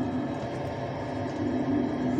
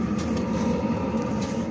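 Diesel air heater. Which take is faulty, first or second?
first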